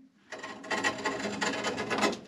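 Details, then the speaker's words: Immersion heater being unscrewed from a hot water cylinder: uneven dry metal-on-metal rasping that comes and goes as it turns, the outside edge of the element scraping the bottom of the tank. Elements bend over time from repeated heating and cooling in water. "now as i'm turning this here i can hear the edge of that element around the bottom of the tank"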